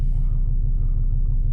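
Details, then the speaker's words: 2005 Volvo XC90 2.4 D5 diesel after new glow plugs now starts very quickly in the cold, where before it would not start: steady, even chug with smooth rhythm, no hunting or misfire; normal cold idle. "This wouldn't even start, this car. It was nowhere near this temperature. It starts very quick. So that's that working now."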